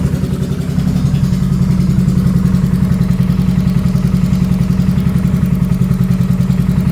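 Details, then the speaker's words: 2022 Can-Am Renegade 1000 XMR at idle in garage after summer-long intermittent misfire; choppy lopsided thumping about three to four beats per second on one cylinder, front spark plug boot arcing to engine block. "Very common on these Can-Ams. for whatever reason, the spark plug, the boots from the mud, the moisture, the whatever, they start to let go and it's arcing through the boot to the engine block and causing that front cylinder to miss."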